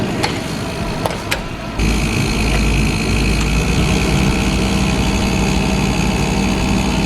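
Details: 1994 Mazda Miata four-cylinder, running despite being found with a broken timing belt: a few clicks, then it catches and settles into a steady, even idle with no misses or knocks. Normal idle.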